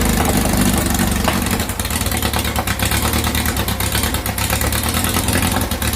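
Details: 2332cc air-cooled VW bug (Dust Buggy) after cleaning carbs and setting mixture screws: ticking over at steady low rumble with fairly even beat; normal idle.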